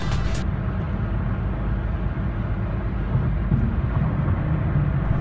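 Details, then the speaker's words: Cadillac CTS panoramic sunroof on a test drive after the repair: only a steady low road rumble, with no whistling or wind noise from the roof; fixed. "I can hear some road noise which is normal but there's no whistling or wind sound coming from the roof so finally it worked"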